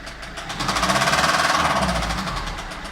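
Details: Citroën C5 1.6 HDi 110 hp diesel at idle: sharp, regular tapping of about four knocks a second over the idling engine; clear knock, source unconfirmed.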